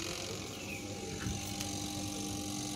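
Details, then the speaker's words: Sharp twin-tub washing machine spin-dryer motor hums steadily but does not turn (brake lever checked, not stuck); failed run capacitor, fixed by replacing it with a 3 µF 450 VAC capacitor. "tidak ada perputaran cuma terdengar suara dengung ya sahabat Oke kalau ada dengung kayak gitu ini udah bisa diindikasikan si motornya ada masalah"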